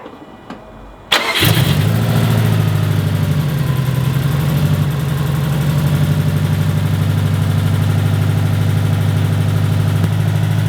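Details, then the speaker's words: Built 2005 Subaru WRX STI first start after engine repairs: brief crank, fires and settles into steady idle; previous ticking gone, light even clicking is the aftermarket injectors. "The ticking's gone! No, that's just the injectors, because they're aftermarket injectors."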